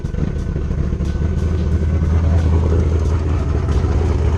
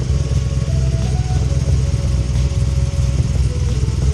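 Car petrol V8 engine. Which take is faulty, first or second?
first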